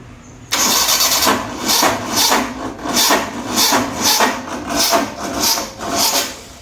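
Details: 1985 Maruti SS80 carburettor car under restoration: engine cranks in slow uneven surges for about six seconds without catching; hard starting, missing or timing change suspected; smoke and an overheated added wire noticed afterwards.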